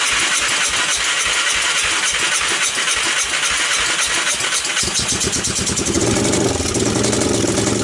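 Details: 1998 Honda TRX300EX single, abandoned a year, cold start on jump box, portable CDI and starting fluid: cranking catches into a loud rough idle, running rich, with mild top-end clicking and loud exhaust.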